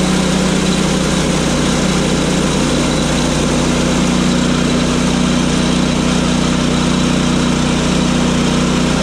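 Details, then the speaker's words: Sawmill engine running steady with a low even thrum and a light fast rattle on top, about three a second; something on the door is rattling, cause unknown to the owner. "they rattling on the door here I don't really know why shouldn't be doing that but it is for some reason"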